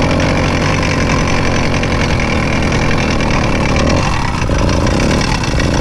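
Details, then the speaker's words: Rebuilt Zeda 80 (Triple 40) two-stroke motorized bike engine, first start after rebuild: harsh gravelly grinding rattle over buzzing exhaust, louder than before the rebuild. Owner suspects the clutch assembly. Grinding noise, not confirmed. "well she sounds like garbage hmm let's take the head off so the terrible grinding sound you were hearing once the motor started was the exact reason we rebuilt this motor in the first place"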